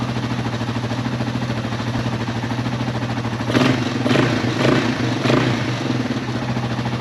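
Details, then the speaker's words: Yamaha XT225 single idling while warming up good and hot to check for oil leaks, including the cam chain tensioner gasket: steady thump with light, even valvetrain clatter and brief throttle blips; no leaks found, normal idle. "Alright, we're going to let this run here a little while. Just make real sure it gets good and hot and don't have any leaks."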